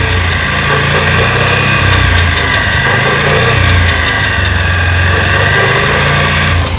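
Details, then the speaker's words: Pulsar motorcycle running in fifth gear with a rough, gravelly grind over the engine note. The gearbox pinion teeth were later found worn, and a new gearbox was installed. "তো আগে আমরা 5 number গিয়ারটা দিচ্ছি। 1 4 5।"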